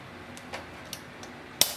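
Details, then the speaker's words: HP OfficeJet 200 Mobile printer, HP 62 ink cartridge being replaced: a few light handling ticks, then one sharp crisp lock snap as the cartridge is pushed under the latch and seated, confirming it is installed properly. "Once you hear the lock sound, that means it is installed properly."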